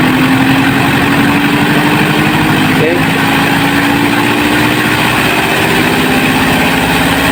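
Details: Washing machine spin dryer after fixing the thumping ("gleduk") by addressing the loose motor shaft bolt under the machine or the broken motor mount spring: a smooth, steady hum rising in pitch as the drum spins up fast, with no thumping or rattling. The spin is now normal.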